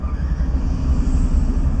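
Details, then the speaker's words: Second-hand single-cylinder motorcycle started on the first self-start press: low, even thrum with a steady beat, no knocks or rattles; clean, healthy normal idle. "কোন কথা হবে না দেখতে পাচ্ছ এক সেলফে কিন্তু স্টার্ট স্টার্ট করছে দাদা"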